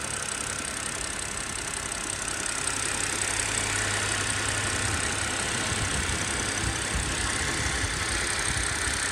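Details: BMW E90 330i at hot idle after a fast 30-minute drive: hard, regular clatter about three to four per second over the engine hum; abnormal engine noise, cause undetermined.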